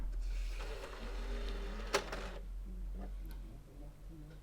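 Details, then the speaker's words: PS3 Slim console after reseating the disc drive cable during HDMI port repair, disc inserted; single click, soft whir rising and settling, quiet seeking with no grinding; drive spins up and reads the disc normally. "No, reading and spinning up now."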